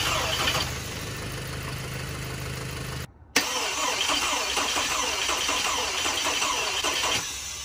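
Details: 2011 Volkswagen Tiguan first start after engine reinstalled with fresh oil and coolant: starter cranks briefly, engine catches and settles to smooth steady idle, no knocks or misses; smoking a little once warmed; normal start and idle.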